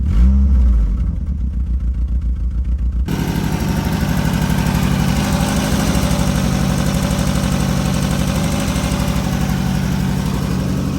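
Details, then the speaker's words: 1987 Honda Accord carbureted four-cylinder, started on choke with one pedal pump: cranks, catches after three seconds and settles into an even steady beat, no misses or knocks; running really well. "I turned it up. It's running really well. That sounds like a normal car! It does!"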